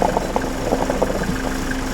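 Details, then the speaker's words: Old Mercedes idling after power steering fix; previous brutal screech and heavy steering gone, now turns with one finger; steady low idle, no squeal, a few soft knocks. "Also besser kann es ja eigentlich gar nicht laufen. Mit einem Finger kann ich den Kram drehen. Also ein Problem definitiv gelöst."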